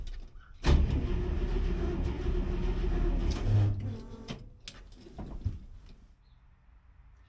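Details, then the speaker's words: 1964 IH Travelall with a 1963 International 304 V8, first cranking after a Holley Sniper EFI install that had an earlier no-RPM-signal issue: the starter cranks steadily for about three seconds but the engine won't start, though it almost caught moments before. "The frustrating thing is that the engine almost caught just a minute ago."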